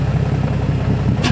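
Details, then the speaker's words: Car with newly installed engine on 20W50, new test pipes, flywheel, catch can, oil cooler: loud, deep exhaust note picking up crisply on a quick rev, no misses or knocks; engine revs freely and cleanly. "As you guys heard, this loud, it revs fast. It's great."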